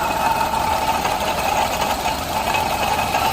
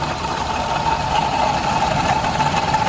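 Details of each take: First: Suzuki Alto 800 with noisy engine, stethoscope on alternator: smooth even whir and soft steady hum, no grinding or rattle. Alternator normal; noise later traced to water pump, confirmed by removing its belt. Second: Suzuki Alto 800 at idle: thin steady constant-pitch whine over the engine, located by stethoscope at the water pump. Worn water pump bearing; pump replaced with genuine Suzuki part.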